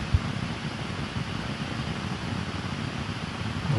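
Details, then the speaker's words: Sennheiser MK 600 microphone on an Apollo X6 with phantom power on and no signal: steady loud hiss with low rumble, noise floor far above battery power; later traced to bad PGAs needing IC replacement. "so as you can hear it's exactly the same shape no matter uh which power supply I use"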